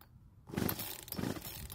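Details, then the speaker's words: Poulan chainsaw, stored over a year with fuel still in the tank. Three rough rope pulls with no firing or catch at all. Does not start; compression, spark or fuel issue suspected, not yet confirmed. "so it didn't even try and start which is not a good sign it means we either have a compression issue no spark or we have a fuel issue"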